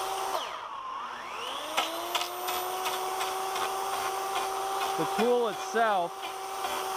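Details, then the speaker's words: Electric chainsaw conversion wood-carving power gouge cutting wood: steady high motor whine with scraping rasp; duller blades dragging on wood and running louder. "blades, the blades are getting duller. They're getting louder. As they get duller, they're going to make more noise because it's more surface area dragging on the wood."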